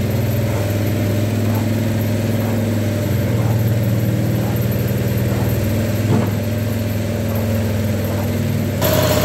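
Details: Bobcat skid steer with Harbor Freight Predator 670 22 hp engine swap, old exhaust smoking as paint cures; even low idle rumble, faint hydraulic hum over it, no misses; normal idle.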